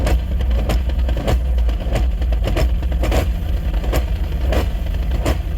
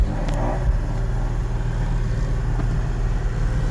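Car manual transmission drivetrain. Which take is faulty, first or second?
first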